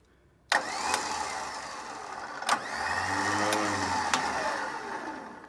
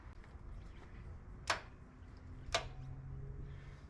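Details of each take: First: New replacement Kings winch just installed on a 4WD, tested forwards and backwards: a steady electric motor whine each way with clean clunks at start and stop; the winch works properly. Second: Kings 4WD winch, rarely used, isolation switch on: two sharp solenoid clicks about a second apart with no motor whir, so power reaches it but the motor doesn't drive; owner suspects gunked cheap grease in the motor and gearbox.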